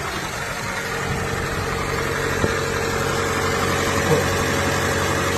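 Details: 2005 Seat Ibiza petrol engine idling steadily with an even low hum and faint mechanical patter, running after a crank-but-no-start fault traced to the engine ECU relay not being switched on, fixed by powering its black/purple wire.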